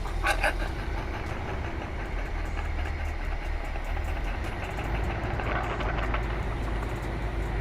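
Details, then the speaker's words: 1975 Chevy C10 SWB, 350 small-block V8, long-sitting, running off temporary funnel fuel feed after first start: deep even rumble holding steady, no misses or tapping, idling smoothly and running good. "That's how you keep that bit running. Running good."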